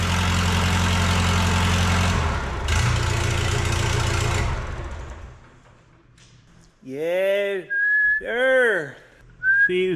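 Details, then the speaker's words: Late-1980s Lull Highlander 844 telehandler diesel after valve lash adjustment (exhaust 18 thou, intake 14 thou): loud raw rumble with harsh open exhaust bark, muffler removed, running on its own about five seconds then dying; injection pump timing possibly off. "I got the muffler off right now, so it's horrible sounding, but uh it's running on its own."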